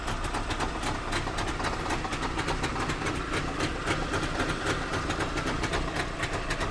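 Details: Trabant two-stroke, bad rattle from the front: busy engine with an irregular metallic rattle about four per second; owner suspects the exhaust is touching something, not yet confirmed.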